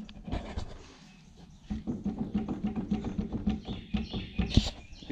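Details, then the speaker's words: Acura Integra wheel hub turned by hand gives rough, rhythmic clunking and grinding from a bad wheel bearing, installed new about 2.5 years earlier. "Yeah, we have a bad wheel bearing. Not happy about this."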